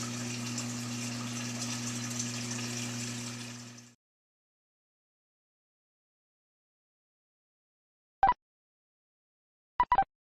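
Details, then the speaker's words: Whirlpool Duet Sport WFW9150 washer after a broken piece jamming the drain pump impeller was removed: even pump hum with water gurgling for about four seconds, then a clean stop; normal drain pump operation, discharge into the drain pipe with no leaks. "and we're getting discharge into the drain pipe. We're going to let it pump all the way out."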